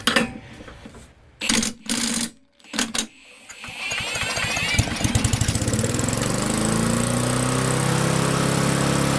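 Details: Barn-find Murray push mower with Briggs & Stratton engine, started on bench after drill cranking: failed pulls and coughs, then catches and screams to high racing speed; overspeed from wrong governor spring, to be lengthened.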